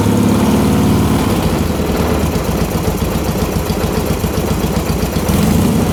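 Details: 1977 Yamaha XS650, last licensed 1990, after carb overhaul, cam chain and valve setting, head studs retorqued, Tritronix ignition, 135/150 compression. Cold start on choke settling into a firm, even loping idle with no ticks or misses; sounds healthy.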